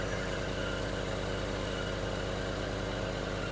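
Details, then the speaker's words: 1967 Dodge Coronet, 318 V8 with Holley Sniper fuel injection, automatic, dual exhaust, restored: warm even steady idle, smooth low rumble, no misses, ticks or knocks, almost zero vibration; healthy running. "And you can see she runs smooth as glass. Almost zero vibration in that motor at all. Very, very smooth running car."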